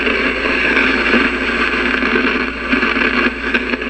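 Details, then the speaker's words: Zenith vintage radio: steady hiss with low hum, broken by irregular sharp crackles and pops, judged silver mica disease (unless a bad tube socket); not yet repaired. "Yeah, that's what silver mica disease sounds like. and it's really annoying to fix and I haven't tried yet."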